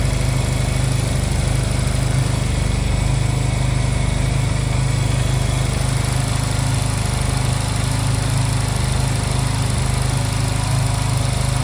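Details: Honda Silver Wing scooter that would not start, after new spark plugs were fitted and during air/idle synchronization adjustment: even, steady idle at about two and a half beats a second, no misses or stumbles; normal idle.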